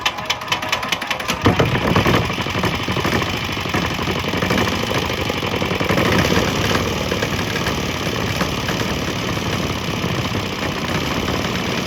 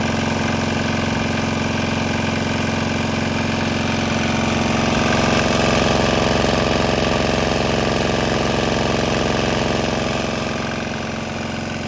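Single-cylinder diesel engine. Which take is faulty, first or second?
first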